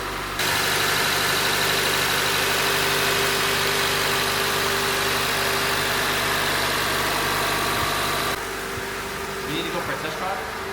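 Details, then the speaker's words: Acura TSX Wagon K24 after VTEC actuator replacement and re-timing at top dead center: steady, even idle with a smooth quick patter and no knocks, misses or hunting; normal healthy idle. ">> Is it smooth? It's not like I hear sounds great."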